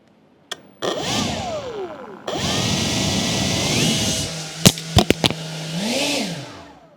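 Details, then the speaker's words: Atlas 40V brushless lithium leaf blower at its slowest variable-throttle setting: low, even motor hum amid handling clicks, then a smooth sweep up toward high speed. Runs cleanly; normal low-speed running. "so you can hear it goes really slow that's as slow as I can get it right there"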